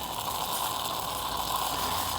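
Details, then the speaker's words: Classic Greca stovetop espresso coffee maker: hissing, sputtering, bubbly gurgle of steam through the spout, the normal sound meaning the brew is nearly finished. "that noise. Means that it's right about finished."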